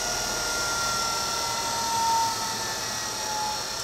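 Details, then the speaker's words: Craigslist treadmill opened up, drive motor started by turning speed knob up slightly from fully counterclockwise, after start delay, at slowest speed: steady high whine with faint hum, even pitch; normal motor running. "if we crank her up a little bit let's see if that motor will start there goes there's always a start delay"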